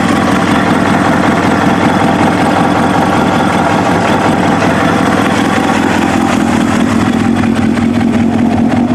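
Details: Kawasaki ZX7R race bike, FCR41 flatslide carbs synced, fuel screws set 1 turn out (was 2), warmed up: steady four-cylinder idle drifting gently between about 1250 and 1500 RPM; mild hunt, acceptable.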